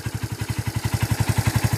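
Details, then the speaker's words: Kawasaki Barako 2 (175) engine after repair of its loud noise with a Barako 1 connecting rod, two new crankshaft bearings and a rebored scored cylinder block; even, steady thump of about eleven beats a second with no knock or rattle; smooth normal idle. "Okay so yan yung andar niya ngayon at Syempre kung yung andar niya ngayon is smooth na"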